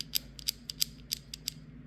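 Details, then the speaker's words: Warn (BRP XL3000) winch from a 2011 Can-Am 400 XT, gear set spun by hand on the bench: sharp, uneven dry clicks about five a second. Planetary gears were found good; bearings on the assumed primary drive gear set suspected worn. "but there's clicking there we go that one's pretty bad so the bearings on the and I I assume this is the primary drive gear set the bearings on this one are messed up"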